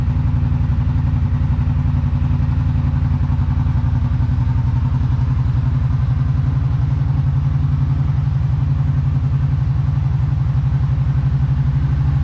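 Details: Kawasaki Brute Force 750 ATV on stock exhaust, before BigGun Evo install, decibel-meter test: steady, even low thump about three to four beats a second with no misses or knocks; clean, healthy idle.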